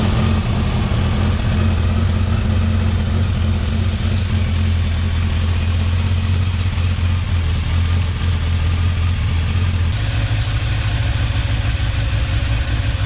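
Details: Restored, rebuilt 1989 Kawasaki ZX10 (ZX10B), first start-up on a little choke: steady low idle with even exhaust beat and small speed change, no knocks or leaks; healthy, may need carb balance later.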